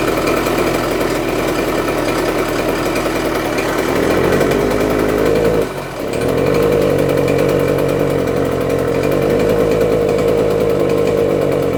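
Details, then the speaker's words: 48-year-old Yamaha DT100 100cc two-stroke on the bench: raspy buzz with a ragged, uneven beat and a brief stumble. It runs briefly then dies. Exhaust appears to blow from around the base gasket. Main seal ruled out; base gasket leak suspected. "I'm thinking it could be the base gasket, because that base gasket is it's not very good, obviously, because you can hear the exhaust coming out of it."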